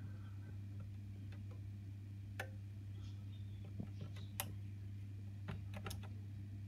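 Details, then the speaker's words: Honeywell heating programmer, boiler not turning on: faint tiny clicks over steady mains hum when switching hot water, no firm snap unlike the heating's strong click; hot water relay not switching properly. "tiny click there that might work that time but that's that's a good way to tell anyway"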